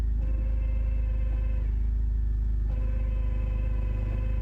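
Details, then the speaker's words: E46 drift car, engine running in neutral, driveshaft not spinning. Lifting the clutch pedal brings in a steady low whirring drone; suspected worn bearings, not confirmed. "So the driveshaft is not spinning and when you lift the clutch pedal This noise is coming sounds like worn out bearings or something."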